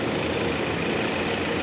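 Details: 2011 Nissan Frontier idling with a cylinder 1 misfire code: a faint unevenness and an occasional soft stumble, an intermittent misfire that persisted after a part was swapped; cause not yet confirmed.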